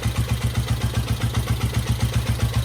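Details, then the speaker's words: Restored 1972 Honda CL350 twin at a very low idle after carburetor idle adjustment on the left side: slow, even low thump, steady with no misses or knocks; normal idle. "It's at a really low idle, but that sounds really good."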